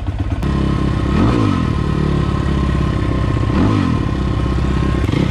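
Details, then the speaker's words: 2020 SSR Motorsports SR300 Chinese dirt bike, first start after installing a new Lectron carburetor, blipped twice with choke left on; revs slightly lumpy and rich, idle then tuned by hand; rich running due to choke. "little rich oh [Music] choke was on explaining why it was a little rich man that sounds good"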